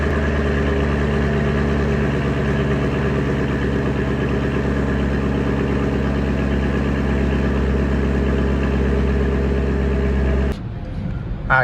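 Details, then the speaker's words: 2021 Camaro 2SS 1LE V8 at 16,500 miles; an earlier ticking, suspected by some to be a lifter, has not returned. Smooth, even idle with a steady low rumble and no ticking or knocking before shutoff. Normal idle. "ever since that day that ticking sound has not came back um a lot of people think it was a lifter that went out"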